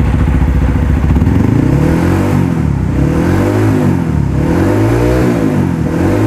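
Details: Modified Honda CRF150L (bore-up with forged piston, reamed throttle body, TPS, camshaft, valves and springs, full gear ratio) running and revving: the single-cylinder runs even, with clean rev rises and no knocks or rattles.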